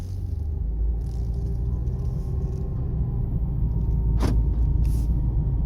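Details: 2009 Jeep Compass 4x4 driven over light to medium bumps: dull thumping, knocking from the front heard through the floor area; front suspension otherwise fine, cause was worn sway bar links with play.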